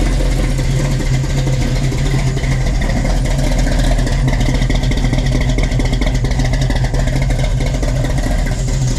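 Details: 1967 Chevy Nova with a freshly swapped 350 V8 (Blueprint Engines heads, Offenhauser Port-O-Sonic intake, Trick Flow cam), heard from the exhaust: deep loping burble at steady idle with slight choppy rhythm; smooth, no knocks or misses.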